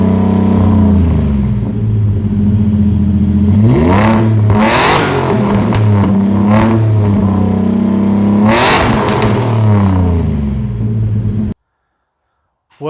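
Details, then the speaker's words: Opel Rekord with supercharged Nissan V6 swap, after new custom mandrel-bent 2.5-inch exhaust install. Fires, blips a couple of times, then settles to a deep, even exhaust rumble with no knocks or rattles; much better than before. "that sounded pretty damn good to me. Way better than it sounded before, for sure."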